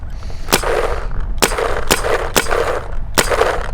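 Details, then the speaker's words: MacDev Prime XTS paintball marker fitted with the C5 bolt system: sharp irregular metallic cracks ringing with a tinny ping, attributed to the breech-sensing prop moving back and forth; replaces the Infinity Drive sound. "from the Infinity Drive is being replaced by a loudness from this breech sensing prop moving back and forth and creating this metallic sound that I'm hearing."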